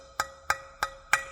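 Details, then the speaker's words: Fingernail tap test on a cracked, previously repaired propeller of the Fountain 42 offshore racing powerboat with twin supercharged 9-litre V8s: short metallic taps that ring dull and fade fast compared with an uncracked prop. "sounds a bit dull compared with the one that's not broken"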